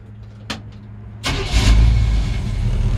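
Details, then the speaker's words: 1953 Ford F100 V8: a click, then the engine fires almost instantly at a light touch of the key and settles into a deep, steady rumble; normal quick start, no overheating or smoke. "every time I drive it I mean you just barely touch the key it fires right"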